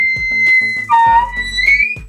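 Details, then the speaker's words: Mixer tap with a worn cartridge (kran-buksa) giving a high, piercing whistle that slides in pitch as the handle turns; tap also drips when closed, so the cartridge needs replacing. "А именно когда санузле у вас получается капает либо шумит и задает неприятные звуки кран-букса Примерно вот так получается Когда вы поворачиваете"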